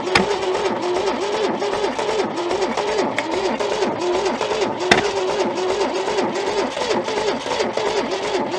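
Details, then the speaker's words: Junkyard Holden sat for decades, float held back to stop flooding, stale fuel in carburettor topped with fresh: fast starter whir with odd sharp pops, never catches; owner considers freeing stuck valves. "Stale fuel kicking around in there. Can you smell that? Yeah, so a bit of fresh stuff sitting on top. Trying, but doesn't want it."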